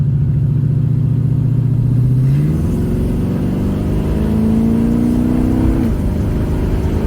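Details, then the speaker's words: Cutlass on a cool October test drive after MSD HEI coil, module, Moroso wires and new plugs: revs climb cleanly through a gear change, no stutter, pop or backfire, running strong; slight pre-ignition noted. "all right guys so we're very impressed we're very pleased with the results here we've been driving around for about I don't know 15 minutes now and this thing just beautiful"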